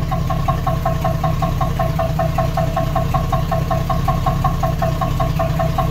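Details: 1976 AMC Gremlin, stored 36 years, started after disc brake work to pull it out of the garage. Light metallic tapping two or three times a second over a steady idle rumble, more noise than it normally makes; the cause is unknown.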